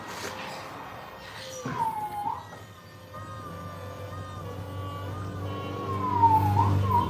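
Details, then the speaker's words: Retrofitted electric power steering pump with the mic close, running while the wheel is turned. A quiet, steady whine near 1 kHz dips and rises with each steering movement, Tesla-like. Normal pump noise. "That's a wild sound that that thing makes."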